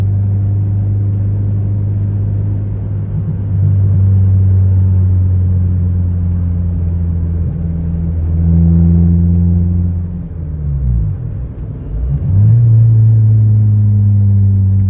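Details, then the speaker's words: 1996 Honda Civic hatchback on a test drive: heavy low droning boom under load, pitch sliding with revs, with vibration from the exhaust hitting the frame; a loud, obnoxious exhaust drone that needs fixing. "yeah that's the exhaust hitting the frame too vibrates pretty good not sure exactly who can drive something that sounds obnoxious"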